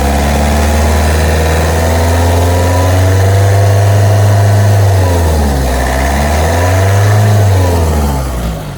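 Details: 2011 Vauxhall/Opel Astra 1.7 CDTi common-rail diesel at idle, owner reports stalling and surging, worse when cold: revs rise and fall every few seconds without throttle; fuel pressure issue suspected, injectors roughly even, cause not yet pinned down.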